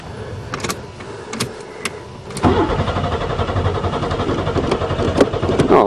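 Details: Buick Regal first spring start after sitting, swapped battery: steady starter cranking about four turns a second for several seconds without catching; cranks but won't fire, fuel pump not heard running at first, fuses good.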